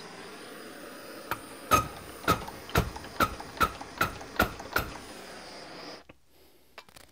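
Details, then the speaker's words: Cummins VCO injector nozzle on a pop tester, sounding different from the SAC nozzle: eight sharp cracks about half a second apart, then quiet; VCO nozzle chattering cleanly, normal. "okay don't play with fire it's dangerous okay this is the VCO that sounds different"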